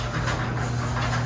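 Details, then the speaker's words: Chain-drive garage door opener after chain adjustment fixed a grinding noise that followed a loud bang and the door dropping: steady, even motor hum with no grinding or scraping as the door closes and opens. "anyways uh the problem is fixed as you can see this was the issue and uh we fixed it by a simple adjustment"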